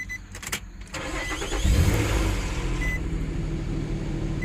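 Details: 2008 Nissan Pathfinder SE 4.0L 4x4 that was stuck in limp mode with many dash lights and codes, started right after an ECM immobilizer learning procedure: brief crank, catches at about two seconds and settles into a steady idle, a clean, healthy start.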